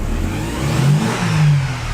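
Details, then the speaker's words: Mercedes-Benz 190E Evo 2 build: engine note swells slowly and unevenly when the throttle is stomped, lagging before it pulls; owner suspects it relates to a loud vibrating noise and stalling; hesitation on throttle, cause unconfirmed. "when you just Stomp The Gas Pedal it takes a little bit to like get going"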